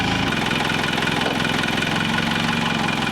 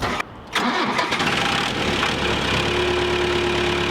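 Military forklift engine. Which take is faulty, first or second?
second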